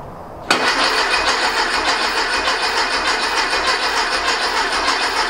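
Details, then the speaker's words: Rebuilt 1835cc air-cooled VW flat-four bus engine, first start attempt, fuel and good oil pressure present: starter cranks steadily with even compression pulses but never catches; no spark found. "Fire at least kicks over. Well, we got fuel. Wonder if we have sparkage. No spark."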